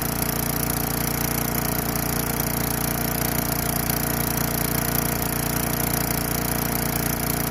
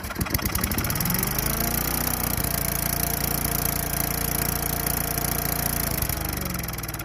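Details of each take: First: Craftsman Eager 1 4 hp chipper vac, small single-cylinder engine on a little fresh gas after priming, carburetor possibly needing cleaning: holds a steady, even beat at constant speed with no stumbling or surging; normal running. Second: Craftsman Eager 1 4hp chipper vac small single-cylinder engine with a little fresh gas, primed: catches and runs rough and uneven for a few seconds, then fades as if starving and stalls once the prime runs out. Cause not confirmed.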